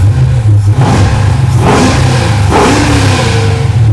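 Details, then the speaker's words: Junkyard 6.0 LS V8 (cheap shortblock, used heads, cam kit) in a '64 Nova with a new Tremec TKX and freshly installed exhaust and mufflers; deep, strong note swelling cleanly with no knocks or misses; normal, healthy revving. "pretty good man little old junkyard truck motor sounds pretty healthy"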